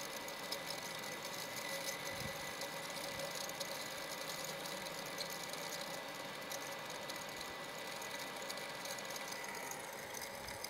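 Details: Shimizu PS135E water pump after repair, being primed with water: steady even whirr with light hiss, no knocks or rattles, runs smoothly then pumps; earlier dead from a household electrical short.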